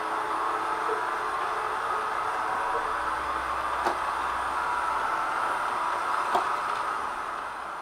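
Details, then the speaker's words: ILIFE V7s Plus robot vacuum many weeks after repairing the error 4 (main brush not turning) fault: steady even midrange hum with a couple light taps, no beeping or labouring; running normally. "by now many weeks have passed since the repair in this time the robot has been working hard and well no more error four"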